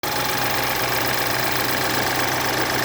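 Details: BMW F10 with N20 engine, after timing chain replacement: fast, busy sewing-machine ticking over a steady idle, from the timing chain area; cause not pinned down.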